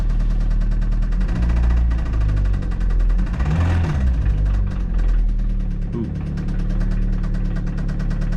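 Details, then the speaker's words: 2004 Toyota Celica GT, 185,000 miles, previously run very low on oil, idling after the refill: a dull, irregular low knock from the bottom of the motor. Bottom-end knock, likely rod bearing wear. "we've got kind of a knocking noise now down in the bottom of the motor not sure how well you can hear it I think we better quit running this one"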